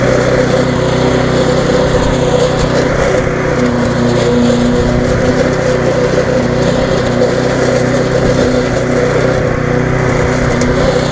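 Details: Viking (Stihl) mulching mower, Briggs engine with refurbished classic carb, after repair: steady buzzing note while cutting grass, no surging or sputter, running normally, slightly fast.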